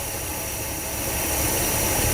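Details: 1976 Dodge D200 truck after fuel pump and starter replacement and fuel hose rerouted: even, steady engine roar at constant pitch with no stumble or miss; runs smoothly and sounds healthy.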